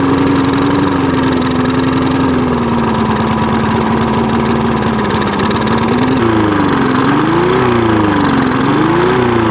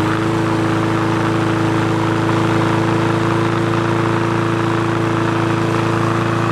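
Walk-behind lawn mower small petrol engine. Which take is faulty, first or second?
first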